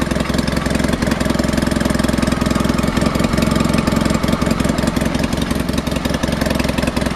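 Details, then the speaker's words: Honda HT3813 engine during compression testing (front cylinder about 90-95 psi): lumpy, uneven idle pulsing about 160 a minute, running on only one cylinder at first startup; no valve ticking or obvious head leak; owner guesses valves, unconfirmed. "it starts up really really good but like I said in previous video it only runs on the one cylinder at first startup"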